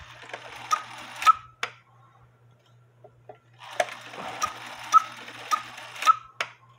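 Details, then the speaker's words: George cuckoo clock after the big washer weight was removed and the new bellows weight cut in half: two-note cuckoo call with soft clicks and steady ticking, cuckooing properly on the hour. "now this clock only Cuckoos on the hour so the good news is is cuckooing like it should"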